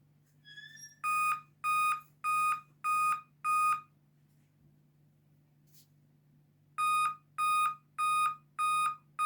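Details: Dell laptop at boot sounds five even, high beeps, pauses, then repeats; five-beep code traced to a failed CMOS battery, which was replaced.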